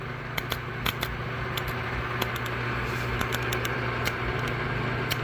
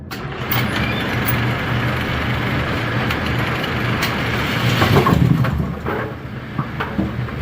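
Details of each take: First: A2 pinsetter with flickery power, motor unplugged: irregular sharp clicks a few per second over steady hum; motor start contactor chattering, arcing later traced to a loose solder connection in its supply wiring. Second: A2 pinsetter retested after replacing twisted, tape-wrapped wire connections, running 19 pins: loud churning clatter with a few clanks, no electrical buzz or stuttering; normal cycle.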